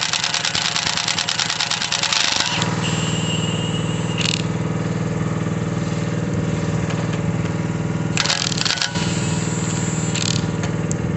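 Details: Mini digger diesel, previously not starting (lazy starter motor suspected), gives a steady, even rumble at constant speed with a few brief clatters over it; normal running after starting.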